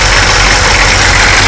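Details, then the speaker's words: Chevrolet Suburban 6.2 diesel idling warm after block heater and alternator install, coolant being bled with heater on; harsh steady buzz over low rumble, source unconfirmed but found not to be the alternator. "Eliminate air pockets. Not this buzzing noise."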